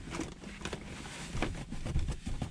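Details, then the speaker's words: 2012 Honda Civic Si (9th gen, naturally aspirated, about 140,000 miles, aftermarket exhaust and intake) while driving: scattered ticks and creaks over road rumble from cheap, flexing interior plastics, suspected trim creaking and rattling despite sound deadening. "like you can see that play in the plastic now it sounds cheap like the whole interior sounds cheap"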